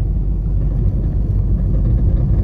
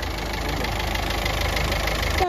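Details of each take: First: Ford EcoSport diesel after engine repair for engine noise and check-engine light, on test drive after about half an hour idling: low even rumble, no knocks, ticks or whine; earlier engine noise gone, some suspension noise remains. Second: Ford EcoSport diesel with the check-engine and oil warning lights on and oil leaking all over. Rough idle with a hard, steady thak-thok knocking rattle; the teardown found a fully leaking head gasket.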